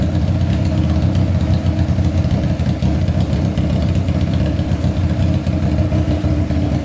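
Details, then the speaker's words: Honda CBR600 four-cylinder engine swapped into a go-kart, fuel pump not working; idle set rather high, strong even burbling idle with steady low pulses, no misses or knocks, sounds healthy and ready to rev: normal idle. "um wow that sounds amazing geez that is going to fly"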